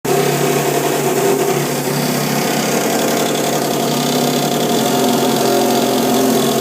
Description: This happens every time after I flush the toilet, and goes on for about a minute (stops when the toilet is finished filling with water).